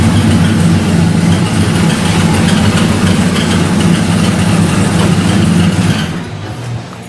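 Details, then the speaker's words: LS V8 truck before roller rocker and lifter upgrade: uneven, lumpy idle with ragged tapping over a deep rumble, about three beats a second; suspected seized lifter in its bore, likely wrong lifters installed with the cam. "Truck sounds like shit. What the f***'s going on? There's some fuckery going on, and we're going to find out what the f*** it is. What do we think it is? A seized lifter and its bore."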